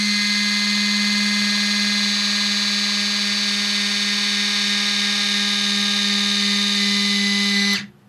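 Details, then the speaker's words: Steady low hum with whiny overtone; eBay replacement motor on a K1200LT electro-hydraulic center stand (EHCS) pump runs quite a bit slower, sluggish and weak, even after flushing with new fluid (with old fluid it barely moved). "You can see that one was quite a bit slower."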